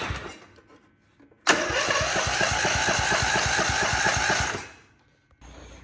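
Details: Gravely 1434 zero-turn mower bought at auction, started on choke after charging the battery: fires up and chugs about four beats a second, uneven and lumpy before dying; later a new spark plug helped, fuel pump leaking oil, head gasket found bad.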